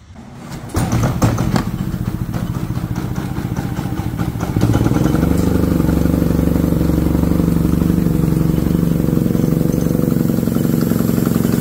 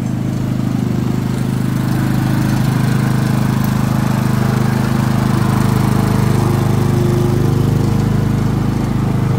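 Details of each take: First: Harbor Freight Predator generator: starts then settles into a low, labouring chug that never picks up, choking out with little power; whistle-like air noise from exhaust at shutdown; cause is a clogged spark arrester blocking the exhaust. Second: Harbor Freight Predator generator that ran badly and made little power, now running without the muffler spark arrester: deep, even, steady drone with no surging or misses; runs perfectly after the fix.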